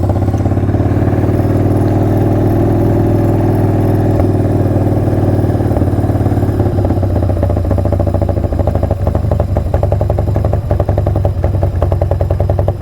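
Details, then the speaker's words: Carbureted V-twin motorcycle, slightly warmed up after being ridden in: deep, loping idle with an even beat throughout; no knocks, misses or rattles, running right. "All right, sounds good. Nothing to replicate the sound of a carbureted bike, man."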